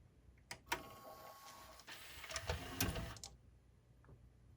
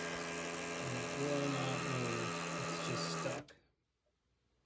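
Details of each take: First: Pioneer CLD-59 laserdisc player, top off and laser not yet fitted, after the sled motor holder repair and greasing: quiet whirring with light ticking as the carriage travels; smooth movement, sled motor working normally. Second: Pioneer CLD-59 LaserDisc player that stopped on Side B: buzzy whirring with a rough gear rattle for three seconds, then it cuts out, as the broken laser sled motor holder lets the gears grind.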